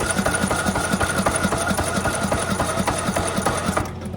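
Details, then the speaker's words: 1986 Nissan 300ZX (Z31), no oil change since 2002, tank bone dry, on choke: steady starter cranking, about four even compression beats a second, never catches; may have knocked slightly, unconfirmed. "She is bone dry with gas, so I don't think it's gonna start, but that guy was cranking on it for a while over here too, so if the battery's got any juice in it, just to show you guys what the engine sounds like."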